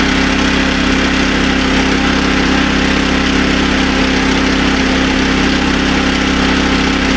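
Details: SDMO 5000W generator with a Briggs & Stratton engine (about 18 hp), restored after a no-power complaint, carrying a heater (roughly 1500 W) and a light: a smooth, constant hum with a firm beat and no hunting or stumbling. It carries the load fine.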